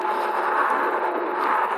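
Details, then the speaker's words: Ride1up REVV1 DRT electric bike, new out of the box, rolling on pavement: steady rushing hum with fine buzzing as the knobby tire sidewalls hit the road; normal road noise, otherwise quiet with just motor sound. "so you definitely feel road noise as soon as the sidewalls are hitting the um the pavement you can hear like vibration and road noise"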